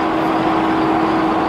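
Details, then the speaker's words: Right-hand-drive HDJ81 Land Cruiser with Front Runner roof rack, no wind fairing fitted, cruising: steady low howl at one pitch over soft road rumble, sounding like tires; roof rack wind howl. "It's literally like it's howling. It sounds like it's my tires, but it's not. It's the roof rack."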